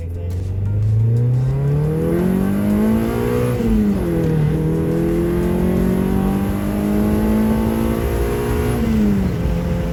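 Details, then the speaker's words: Test drive of an H22 wagon after the misfire tune-up with a new distributor cap and rotor, opened up on the main street. The engine climbs cleanly through the revs with steady, unbroken pulses and no stumbles or pops. Healthy acceleration with no misfire. "i haven't felt a single misfire yet my old cap and my old rotor didn't look like there's anything wrong with it"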